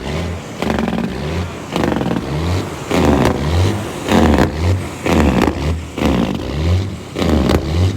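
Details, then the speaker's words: Tuned diesel cabover truck, throttle held wide open with fast idle stick, check engine light on: revs climb and fall back about once a second, never holding full throttle. Surging, suspected limp mode, cause unknown. "So this thing won't let us put a fast idle stick on it and stay at wide open throttle. We're trying to get hold of our buddy that tuned it and say, hey, what the heck? This thing won't stay at full throttle."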